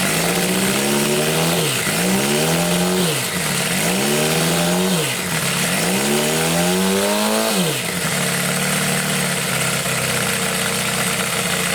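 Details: Homemade four-cylinder CD125four engine built from a Monkey, indoor start test after head gaskets were sealed against blow-by; four quick throttle blips climb cleanly and fall back, then a steady, even idle. Normal.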